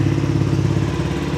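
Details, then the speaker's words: Suzuki V-Strom 250 SX idling right after an oil change (filter, seal and drain gasket replaced): a steady, even low thrum with no knocks, rattles or hunting. It idles smoothly and sounds healthy. "Aman? Sudah bunyi? Mesin juga sudah langsam."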